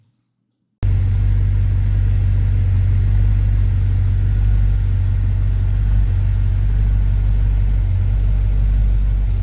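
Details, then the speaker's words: Replacement V8 for a 1972 Chevy C20 Longhorn pickup, run with all-new parts after 20 years of trouble: a steady, even rumble with a smooth rhythm and no knocks or ticks; the engine runs normally. "Honestly though I was waiting for something to break or noise to start or something to blow up surprisingly it didn't"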